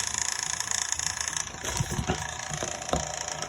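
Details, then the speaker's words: 1958 Baird/Emerson Wondergram record player, playing at 33 1/3 RPM: fine, uneven rattle over the small turntable motor's steady hum from a worn, noisy motor bearing. "you can hear the motor rattling and that's the motor bearing itself and it's uh it's a little bit noisy"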